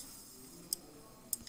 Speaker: the relay will get energized you see the clicking noise you hear the clicking noise and then the light will turn on